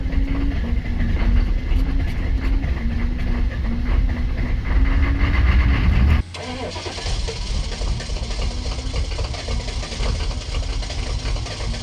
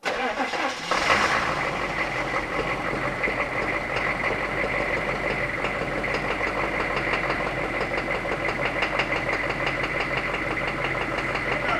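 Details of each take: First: 1990s Chevrolet K3500 1-ton diesel pickup, battery just recharged, about 50°F: cranks and catches, smoky rough start, then lumpy uneven idle with rattling clatter, sounding like a big cam. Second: 1990s Chevrolet K3500 1-ton diesel after plugging the new injection pump's computer with calibration resistor onto the old pump: cranks, catches within a second, settles into a fairly steady rattling idle, running much better; timing still slightly off.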